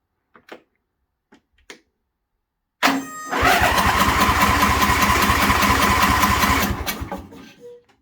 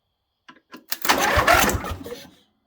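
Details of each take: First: John Deere Scotts lawn tractor after replacing bad starter solenoid (main fuse kept blowing): a few clicks, then the small engine catches at once and runs evenly; normal start, choke may need work. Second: John Deere Scotts lawn tractor, main fuse kept blowing: with starter solenoid bypassed by bridging its two terminals, sharp clicks then engine turns over with rapid chug; solenoid bad, replaced, then starts fine.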